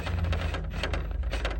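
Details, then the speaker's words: Axial SCX10 III Base Camp RC crawler driving over rocks and uneven ground: loose, irregular plastic clattering bursts because the body posts have no O-rings. "This body makes a lot of rattly noise when you drive over any uneven ground of any kind."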